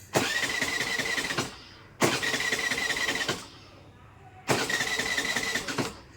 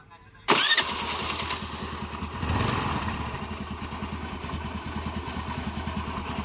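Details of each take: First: Scooter that suddenly won't start, key on, petrol present: three cranking bursts about 1.3 seconds each, starter spins evenly but engine never fires; crank no start, no spark. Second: Scooty scooter with a no-start, starting after a spark test with a temporary short wire fed to the coil wire, the proper wire still to be fitted: cranks, catches at once, then settles to a steady, even idle putter; starts and runs normally.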